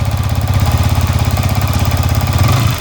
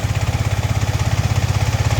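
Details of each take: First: Yamaha MT-15 (FZ version 4 type) just started after fitting an ignition (ST) coil to cure stalling and no-start: even steady idle then smooth rising and falling revs, no misses; normal running. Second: Yamaha MT-15 that stalled while running and would not start, after fitting an ST ignition coil: fast even single-cylinder thumping about eleven beats a second, idle near 2000 rpm, set too high and needing lowering; high idle speed.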